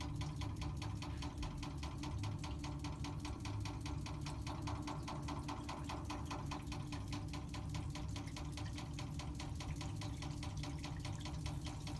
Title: Water meter knocking noise